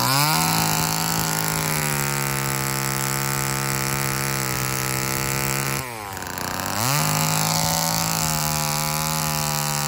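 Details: Old Homelite chainsaw, owner guesses 1960s or 1970s, revived after reassembly; high steady two-stroke scream holds revs with a brief dip and quick recovery; runs strong, though the owner says tuning could improve.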